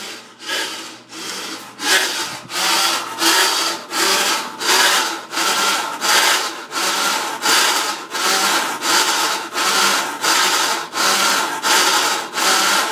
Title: Why is the washing machine making this sound?